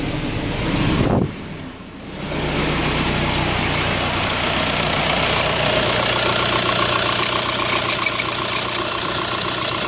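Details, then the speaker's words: 2005 VW New Beetle TDI turbo-diesel at idle: harsh grinding, hissy rasp from the serpentine belt drive returns when the A/C is switched back on. Caused by a bent alternator shaft and a weak original tensioner pulley, cured by replacing both. "so it's completely off you can see the pulley system down there is not spinning so it's off I don't hear the grinding anymore I'm going to turn it back on there it goes"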